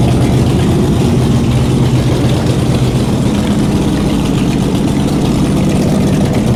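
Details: Shelby Cobra 427 big-block V8 first running in car after nearly a decade, open headers with no mufflers: loud, lumpy idle with steady pulses, no stumbling or dropouts, holding idle on its own; normal idle.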